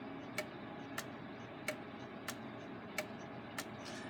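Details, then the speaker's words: Gilbert long-drop octagon clock back on the wall after rebuild, beat just adjusted, springs not fully wound: soft ticks about every two-thirds of a second, unevenly spaced, phasing in and out of beat; escape wheel suspected slightly out of round; uneven clock beat. "would be where it wanders in and out of beat I do think it's phasing just a little bit what do you think please leave a comment below"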